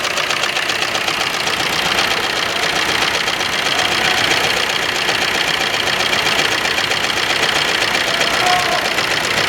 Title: Ertiga diesel engine misfire #automobile